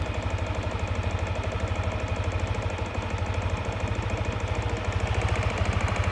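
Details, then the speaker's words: Yamaha NMAX v1 scooter at idle: sharp regular knocking, roughly three per second, over the idle hum and tracking engine speed; cracked magneto rotor (split in three places), not the crankshaft; fixed by replacing the magneto. "Ito ang salarin. Yan na yung tunog nito, ang bingi."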